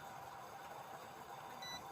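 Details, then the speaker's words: AC/DC fan controller board on 12 V input (also beeps on 220 V), remote sensor already replaced: one short high electronic beep, then no fan hum with the fan wires connected; board powers up but the fan won't run. "ठीक है, beep इसमें आ रही है। ठीक है दोस्तों, beep इसमें आ रही है।"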